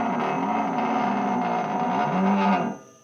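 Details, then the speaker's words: Rough buzzing groan under the car while turning the steering slowly by hand at the wheel, both front wheels off the ground, stopping when turning stops; ball joints show no play, cause unknown. "alright funky noise coming from under my car right now I checked both wheels for play up and down the check and see if maybe the ball joints are going out but neither wheel has play up or down but here's what this sounds like right now this is me turning the wheel one way"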